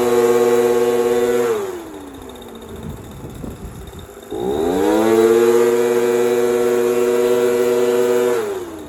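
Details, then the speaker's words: Echo PB230LN handheld two-stroke blower after fuel pump diaphragm kit, fresh fuel and purge hose: crisp buzz climbs cleanly to full revs, drops to a steady idle, revs again smoothly; good throttle response, sounds healthy. "Good throttle response. Everything sounds good."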